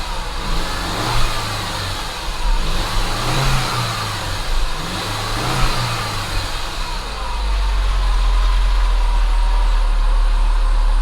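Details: Saab 9-5 2.3 turbo after fitting a $30 Amazon mass airflow sensor, replacing one that caused sporadic idle: three clean throttle blips rise and fall smoothly, then steady hum; engine picks up without stumbling.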